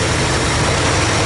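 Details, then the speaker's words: Dodge D100 stepside just started after a decade sitting: uneven rough idle with a loud steady hiss over the engine; owner suspects a sizeable vacuum/air leak, source not yet found. "i wonder where our air leak is coming from because i can hear it pretty bad"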